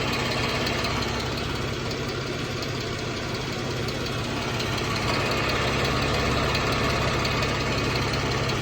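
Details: 2014 Jeep Wrangler 3.6 Pentastar at warm idle with a light steady tick about three times a second over the engine hum; owner asks whether rocker arm or valve tick, unconfirmed.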